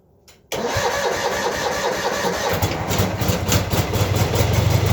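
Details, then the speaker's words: Cub Cadet 782 tractor, hard to start in the cold, with a weak 1-year-old 320 CCA battery, boosted by a Noco GB40 jump starter: short strong cranking burst, then it catches cleanly and settles to a steady idle; starts normally. "so in my mind it works pretty good so that's what it's doing when it's connected and it certainly makes a big difference"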